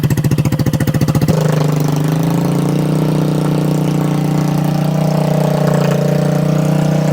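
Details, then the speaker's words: 2021 Kandi Batman go-kart on its stock carburetor with fuel and throttle unadjusted: rough loping single-cylinder idle with pops through the open pipe, backfiring because there's no muffler, and the idle is set too low. "It's gonna be backfiring because there's no muffler on it. It's just cold air sucking into there."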